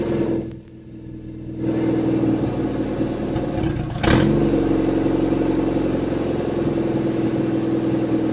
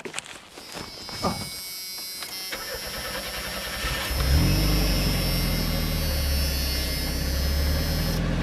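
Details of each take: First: Junkyard-rescued Chevy S10 being revived for an 800-mile drive, injector O-ring possibly leaking: after a quick blip the engine drops to a steady, even idle with no knocks or ticks; normal running. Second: Junkyard Chevy S10 first crank, a bracket cut off; cranks a few seconds, catches, then shoots to high revs and stays there as the throttle hung open; throttle stuck open.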